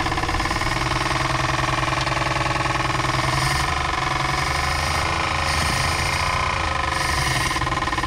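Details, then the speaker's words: 1962 Chevrolet Biscayne, 235 Blue Flame inline six with 3-speed column manual, sitting in a field since 1969, first start on ether: rough idle with a heavy, uneven knock about three times a second; serious engine knock, cause not found. "oh there we go she's running it's knocking though it's knocking really bad"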